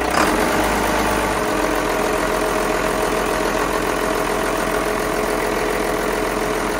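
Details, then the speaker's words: Carver 466 boat, starboard Cummins 6CTA 480ce 8.3 L diesel, in the engine room after an injector replacement; steady, even clatter with a constant beat and no misses or roughness; idling smoothly and healthy. "that sounds good I don't even look I can hear it sounds great"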